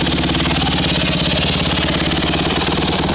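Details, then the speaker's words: Freshly rebuilt Honda CRF150R single-cylinder, already warm, at a steady idle with a crisp, even putter and no rattle or hunting; runs healthy after the rebuild. "I just fresh rebuild and it runs like a champ"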